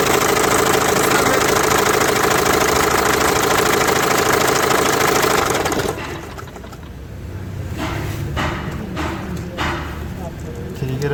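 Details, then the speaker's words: Renault Master 2 diesel: loud busy engine with fast, regular slapping tick, then sudden drop to quieter hum; failed automatic timing belt tensioner let belt slacken, nearly jumping timing; new timing belt fitted. "o Renault Master 2 triger gergisi boşa çıkmış mecburen takım olarak triger seti değişecek"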